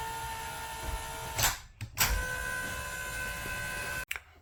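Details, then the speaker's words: Happy Jack bed lift after the fix: steady electric motor whine with no clicking or clanging. The chains had been clicking together on the way up, and the fix was a wood block glued under the gear chain on both sides to hold the chain up. "Okay, here's after my little fix. No more banging, no more clanging."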